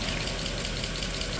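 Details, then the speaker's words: Mercedes E63 AMG M156 V8 after sitting 8 months, cold start idle: fast light ticking over engine rumble, hydraulic lifters slow to pump up, common on this motor. "right now I think we got some lifter noise. Pretty common on these cars, the M156, especially this motor. If it sits for a long time, the lifters need a little while to pump up."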